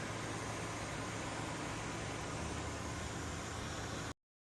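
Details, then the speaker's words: Ryobi misting fan after its seized pump rotator was freed and the loose jets tightened, run on high then low then left on high; even constant whoosh of fan and spray, no grinding, rattle or pulsing: normal running on high. "That's on high. That's on low. We'll leave that on high for a bit and let it do its thing."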